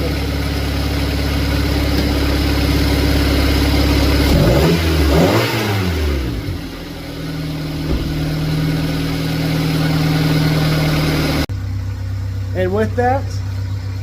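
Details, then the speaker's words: Honda with previous low-rpm flutter, after injector work: blips up smoothly and returns to steady even idle, no flutter or misfire; running healthy. "injectors are done. And it actually sounds a lot better. There's no more flutter. In fact, let's go hear it. No flutter."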